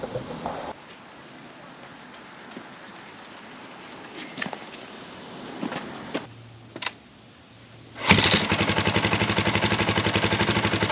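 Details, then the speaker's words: 2004 KTM 450 EXC after rewiring broken wires: near silence, then fires on the first kick and settles into a quick, even thumping idle with no misses; normal start and idle. "I'm going to start it up, let it run for a few more seconds. I love that it just started first kick, that's awesome."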